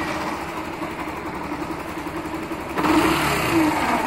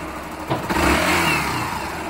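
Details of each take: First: Factor 150 motorcycle idling with a terrible, harsh, uneven growl caused by a shorted stator; unplugging the stator changes the noise, and a small spark shows when it is reconnected. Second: Factor 150 single-cylinder motorcycle after replacing a short-circuiting stator: smooth idle with brief blips, sound unchanged when the connector is unplugged; charging 14 V at idle, normal.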